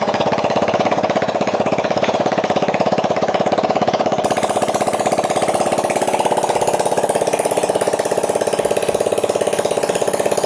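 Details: Yamaha Mio J fuel-injected scooter running on a makeshift substitute pulser in place of a faulty one that had caused no spark while the fuel pump hummed; single cylinder ticks over at a quick steady beat, about three pulses a second, smooth and even with no misses. Normal idle.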